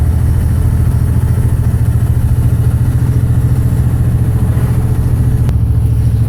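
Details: 2006 Dodge Ram 2500 with the 5.9 24-valve Cummins diesel, stated to have bad injectors: lumpy, uneven low idle clatter at about three beats a second that never settles, sounding like a misfiring cylinder. Rough running.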